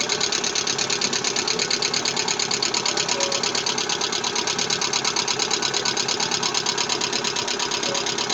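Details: Lada Vesta engine idling with rapid, even metallic tapping at a steady beat: engine knock from low oil pressure.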